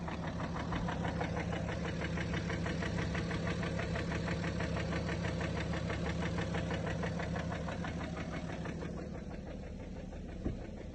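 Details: BMW X3 35d 313 hp diesel at idle: steady idle with a regular knock about three per second, even throughout; engine knocking, cause unknown.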